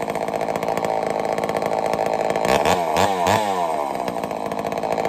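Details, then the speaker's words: Homelite Super XL-923 82cc chainsaw test fire after tuning; loud, crisp two-stroke howl with quick clean blips; a little rich on low speed, runs strong, good and snappy. "She tuned right up pretty easy. Got a little rich on the low speed, but I'm very surprised. She's loud though. Holy cow, she loud. Good and snappy."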